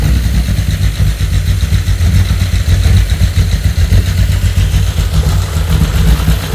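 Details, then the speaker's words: VW R32 engine running on the floor before a swap into a T5 Transporter, first start after drying water from the plug holes: low note with a slightly uneven, hunting idle. Erratic because the airflow meter is not connected. "It sounds okay. It's running a little bit erratic. That's because the airflow meter is not connected."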